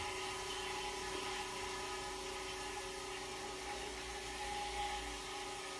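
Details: Vintage GE Monitor Top refrigerator set to about medium, just started and beginning to chill: a steady, even hum with a soft airy hiss and no knocking or rattling as the compressor runs smoothly; normal.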